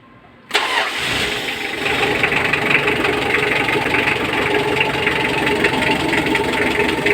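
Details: Mitsubishi L300 diesel that previously wouldn't start on the key, after fitting the battery and starter: catches within half a second and settles into a steady, even idle with heavy smoke; injection pump timing to be adjusted.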